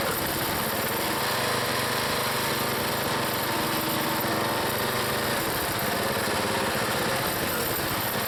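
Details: Small single-cylinder log splitter engine on a cold day, Seafoam added, under working load splitting firewood: steady, even buzz with no misses, surges or knocking. It runs healthy.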